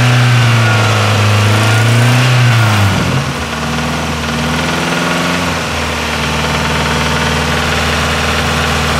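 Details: Nissan S13 with CA18DET: after revs drop, a fairly even knock of about three or four per second over the idle; owner unsure whether it needs a crank grind, cause not confirmed.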